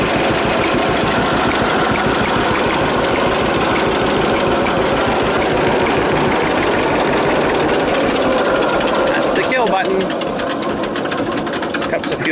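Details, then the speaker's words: John Deere AR tractor two-cylinder engine runs rough and lumpy, hitting compression then blowing and bubbling; owner suspects too much oil, unconfirmed. "I think there's too much oil in that I would not kind of ran and then it hit that compression and then it kind of blew kind of all bubble"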